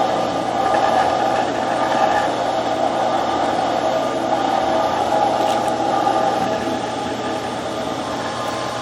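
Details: Camp outdoor water pump in boat house drawing from lake line while cistern line is throttled to keep it primed; steady motor hum with faint uneven churn as it picks up water and holds prime, running smoothly; normal running.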